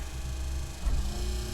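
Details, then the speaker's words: Wiper motor reconnected after being taken apart and adjusted following a horrible noise during heavy rain: low, even motor hum with no squeak or grinding on the first speed of the two-speed wipers; normal running. "And straight away, we've got very little in the way of noise. It's just the usual motor noise."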